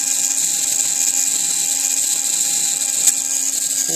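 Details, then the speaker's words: TXT1 gearbox, gear noise from pinion mesh: constant high-pitched whine over faint lower hum; owner thinks pinion backlash is about right but will try adjusting it, cause unconfirmed. "このギアの音ですね。ピニオンとのバックラッシュはこんなもんでいいと思うんですが、ちょっと調整してみましょうかね。"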